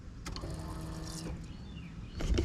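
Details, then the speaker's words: Nissan 300ZX (Z32) convertible project before its first start after restoration: with key on, a faint steady electric hum runs about a second then stops, the fuel pump priming normally; ECU powered. "not sure how well you guys could hear but pump did just kick on"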